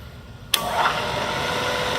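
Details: Bridgeport 2 HP variable speed head vertical mill, 60–4200 RPM, in high range: the spindle starts sharply, then settles into an even whir with a faint squeak from a newer belt; the high range is in excellent condition.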